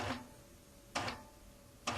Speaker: the needle is going through the fabric after every inch listen to it as it goes it's absolutely quiet in between the stitches